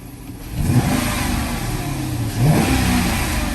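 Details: 2013 Dodge Charger Hemi ex-police car, higher mileage, warmed up a little after new Autolite Iridium Ultra plugs (some old ones oily): two clean throttle blips rise and settle smoothly, no misfire, stumble or knock; healthy V8.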